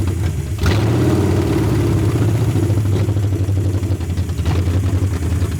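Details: 1981 Ford Mustang 5.0 V8 carbureted, parked since 1996, on a temporary electric fuel pump: lumpy idle surging and stumbling, barely running; owner suspects vacuum leak (possibly under-carb gasket) or distributor slightly out of position, plans to advance timing.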